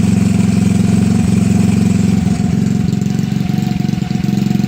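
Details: Honda Ruckus scooter with GY6 150cc single-cylinder engine, after fixing a bad starter solenoid: starts fine and idles smoothly with a steady putter of about three beats a second, no misses or knocks; normal idle.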